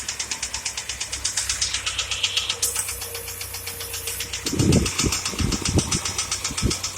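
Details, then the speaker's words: UAZ Patriot ZMZ 409 engine started and running perfectly, then about a minute later, still at raised warm-up idle, a sharp, even metallic ticking near four per second suddenly sets in; engine knock. "Вот начинает и штук. Вот и все, он застучал."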